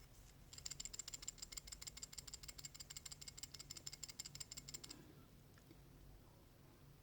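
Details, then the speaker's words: Worn idler pulley from a 1994 Mazda RX-7 (FD), removed and shaken by hand, giving a fast, bright metallic chatter from bad bearings. It feels coarse with wobble when spun. "however when you shake it you can actually hear a little bit of chatter coming from the bearings inside the pulley"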